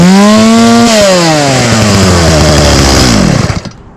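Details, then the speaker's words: Stihl 018C 32cc chainsaw running on old gas: a brief scream, then the pitch sags and keeps dropping under throttle before dying away; the old fuel is blamed; engine bogging. "awesome now it is was a little boggy cuz does have old gas in it but still that started very well"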